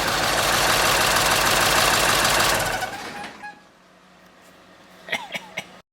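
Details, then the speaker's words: 1946 Ford truck with 1996 diesel swap, after rewiring check-engine and wait-to-start lights to the PCM, glow plugs cycled: steady, even diesel clatter with no misses, then falls quiet; normal start and idle. "that's my check engine light, and then here in a second the wait to start comes on, and then it goes out, and it cranks up. Isn't that wonderful?"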